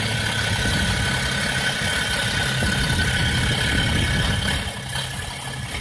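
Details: BMW E60 after a vacuum pump replacement: the engine idles with a rough, uneven beat and the rpm sags and wavers; the idle randomly becomes unstable, with the vacuum pump suspected but not confirmed.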